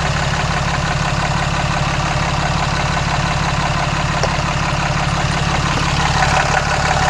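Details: 2014 Cummins 6.7 diesel idling after a CAT 1R-0750 fuel filter install on a BMP adapter housing, primed to about 10–11 psi and checked for leaks: steady, even clatter with no misses, knocks or hunting; healthy.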